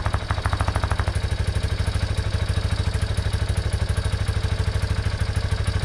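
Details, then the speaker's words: 1987 Yamaha Big Bear 350 4x4 ATV after splicing in a new coil ground wire and replacing a bad CDI with a knockoff, started on a jump pack because the battery is too small: crisp, even single-cylinder idle at about three beats a second with no misfires. "well uh start it up just fine there uh to know this little Mighty Max battery is way too small not enough cranking amps on there to turn this motor over"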